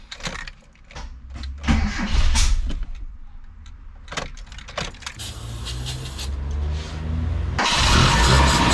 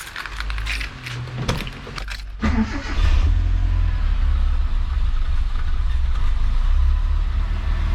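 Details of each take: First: Mitsubishi Sigma with a newly fitted 32/36 Weber replacing the failed Mikuni, cranked with carb cleaner: uneven cranking with stumbling catches and misfiring bursts before it barely fires. Water is still running through the intake manifold, and the fuel mix seems lean. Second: Mitsubishi Sigma just fitted with a 32/36 Weber carburettor (adapter kit) replacing the failed Mikuni: some handling knocks, then the engine catches and settles into a steady, even low idle without stumbling; choke working well. Normal start and idle.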